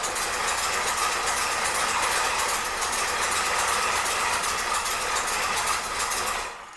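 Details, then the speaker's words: 1964 Pontiac 389 V8 first start after rebuild: uneven running with fast ticking rattle about four per second over hissy exhaust; owner guesses timing for the rough run and attributes noise to exhaust manifolds not fully tightened, exhaust smell. "that wasn't much of a moment but she did start and my guess is that's timing"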